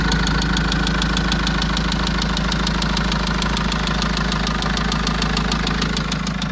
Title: engine knock 1.9 vivaro injector?